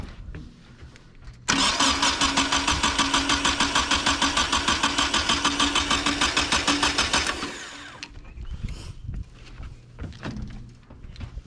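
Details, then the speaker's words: Nissan 240SX project, cranking with no fuel pump fitted, new starter and plug wires: even starter rhythm about three pulses a second; compression not low, so a spark problem is suspected, maybe the cap. "So it's not low in compression. So that means something to do with spark."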